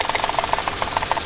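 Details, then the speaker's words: Mitsubishi Mirage shaking badly at idle during a coil-pull test, pulling ignition coils one at a time to find the dead cylinder: uneven idle, irregular ticking pulses around 1 kHz, stumbling beat; cylinder misfire. "napakalakas oh nangangatal na nangangatal yan"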